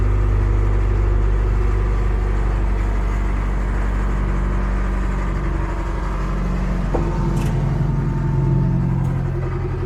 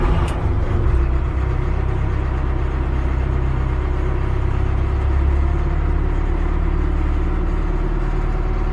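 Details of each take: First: Cat 215 excavator after brake seal replacement. Slow, uneven starter churning; the engine turns over without catching. Cranks but won't start because it is very low on fuel. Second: Cat 215 excavator after brake seal replacement on the leaking gearbox, refueled: steady low diesel rumble with an even beat and no knocks or misses, settling into a clean, normal idle.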